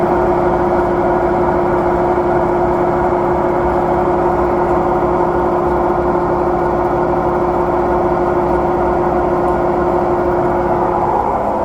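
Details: Samsung drum washing machine spin cycle, same noise returning a year after a replacement unit; steady loud hum with a fixed mid-pitch tone and rough, slightly pulsing roar; abnormal spin noise, cause unknown.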